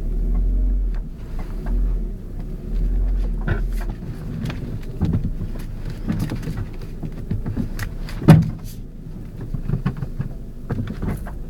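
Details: Ford Focus driving, irregular hollow clunks and sharp thumps over low road rumble; clunking noise, cause unknown.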